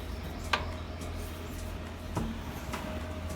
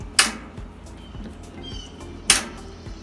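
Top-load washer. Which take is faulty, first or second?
second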